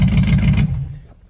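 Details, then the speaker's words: LS-swapped Crown Vic V8, fired up after the valve cover was inspected: a lumpy, choppy beat with uneven low thumps before shutoff. It is running like a four-cylinder because the injectors were left unplugged. "like a four-cylinder because somebody forgot to plug in the injectors big dummy"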